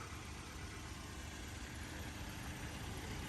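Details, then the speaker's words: 2015 Ford Taurus, 130,000 miles, direct injection engine at idle: steady idle with light quick even top-end ticking; normal direct-injection injector tapping, nothing wrong. "that noise that you hear on the top end is a noise that they're supposed to be making this is a direct injection uh car so direct fuel injection uh on on all of them they just make like a tapping noise on the top"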